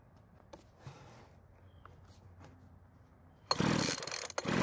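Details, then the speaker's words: Poulan Pro two-stroke leaf blower vac with low compression (about 100 psi, 135 psi with oil in cylinder) starts with a sharp, loud buzz and runs about a second after quiet fiddling, confirming it runs before reassembly. "run so it started and ran for a second and that means i can start putting the rest of the engine back together"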